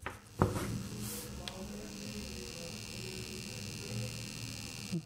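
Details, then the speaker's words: IKEA Sjöss 30W USB-C charger plugged into the wall with no cable or device connected: steady low buzz with thin high-pitched whine; buzzing typically stops when a phone is plugged in. "I wanted to show you there's no cable plugged in here. And listen to this now. Hope it will still do it. Yeah, it's doing it."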